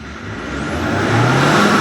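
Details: 2015 Mahindra Xylo diesel after a no-start caused by a relay fault, fixed with a scan tool and ECM unlock: it climbs smoothly from idle to a steady higher rev with no misses or rattles. Normal revving.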